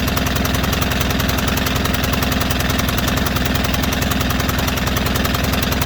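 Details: White Outdoor LT542G riding mower twin in a cold shop, running rough, drinking gas and putting fuel in the oil: it pulses unevenly at about 214 beats a minute, rough and erratic. The carburetor main jet was found missing.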